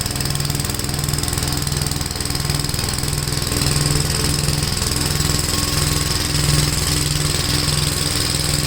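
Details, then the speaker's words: Gravely tractor running brush hog mulcher deck via PTO after clutch adjustment: steady, even single-cylinder beat with blade whir, no shudder or thumping; owner unsure tractor has enough power, blade taking power. Normal running under load. "I don't know if this tractor has enough power to run that you can tell it's taking away power"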